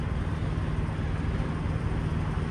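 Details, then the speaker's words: Truck's diesel APU, with no DEF system. A low, uneven rumble with a choked, labouring beat; the unit is running rough. "hear how rough this guy's apu is running still sounds like it's you know all choked up my mind does that sometimes as well"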